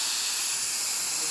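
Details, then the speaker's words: Samsung DVM S heat recovery system, no-heat call, pressurized to 40 bar: steady high-pitched hiss with no motor underneath; refrigerant leak where a line rubs against a bracket. "and we can hear the leak quite portable"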